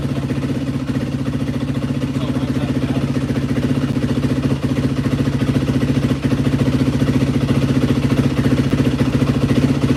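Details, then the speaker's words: Crisp, even single-cylinder thump at steady idle, no misses or stumbles, right after starting on a little choke following a carburetor rebuild on a 2003-2005 Yamaha WR450F; normal idle. "This thing's freaking running tits McGee right now."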